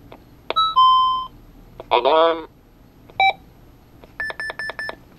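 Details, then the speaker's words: Micronta Vox Clock 2 Radio Shack talking clock from 1986, good batteries fitted; the button had only clicked for days, then scattered tones and a burst of rapid beeps cut in and out as it suddenly starts working again: intermittent alarm and voice output. "sometimes it will make a noise but it's beeping huh that's suddenly it's coming back okay why is it working now"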